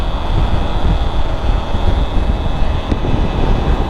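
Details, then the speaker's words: Bajaj Avenger riding on the Hindon elevated road past 65: a continuous deep rushing wind roar with no engine rhythm, which the rider blames on the windscreen and plans to remove. "मैं sixty five cross करके windscreen जो helmet की windscreen उसे खोल नहीं सकता इतनी हवा आती अंदर कितनी आवाज है इसकी वजह से"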